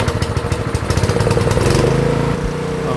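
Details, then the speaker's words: GX160 water-pump engine that would not start with no spark, fixed by repairing a rodent-chewed ignition wire: it now idles steady and even on its single cylinder with no stumbling. "ครับเครื่องติดสมูทนะครับรอบเดินเบานิ่งนะครับไม่สะดุกไม่กระตุกนะครับ"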